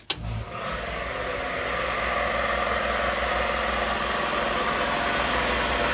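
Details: Magna Force air compressor after repairs, switched on at the breaker to build pressure toward a 160 cutoff: motor kicks on with a thump, then a steady busy pumping drone firming as pressure builds; running normally, a pipe leaks afterward.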